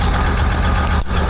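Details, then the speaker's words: 2008 Land Rover Discovery 3 TDV6 under rebuild, just started after the flywheel was refitted: a low, even diesel rumble settling into a steady idle with no knocks or misses, oil pressure established. "Give it a second if it if it quiets out. Okay, we got oil pressure."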